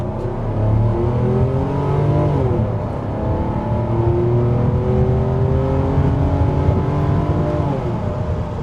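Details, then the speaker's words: 1997 Mercedes-Benz SL600 R129, 6.0-liter M120 V12, five-speed automatic, variable valve timing; smooth rising silky engine note climbing cleanly through revs under load, cam timing changes felt across rpm range; healthy acceleration. "And these do have variable valve timing, so you can kind of feel when the cam timing changes at different points in the RPM range, and really adds a lot of character to this engine as well."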